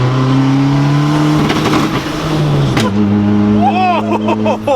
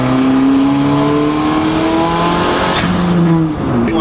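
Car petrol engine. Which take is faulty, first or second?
first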